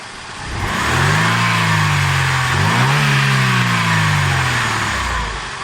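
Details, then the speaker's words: Mercedes belt tensioner damper after repair, pivot packed with high-temperature bearing grease: engine revs up, dips and climbs with a clean even note and no rattle; the tensioner roller no longer moves when revving, once blamed on a worn rubber bushing; normal. "перестал ролик двигаться когда газуешь раньше он скорее всего двигался из-за разбитой резинки когда году отец не двигается"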